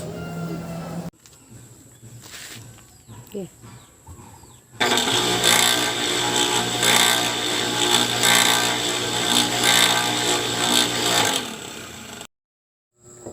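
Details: Water pump test run. It was loud and rough with a regular clicking about four times a second over the motor hum, plus vibration, and the shaft had been found still loose. This points to a worn, loose bearing seat.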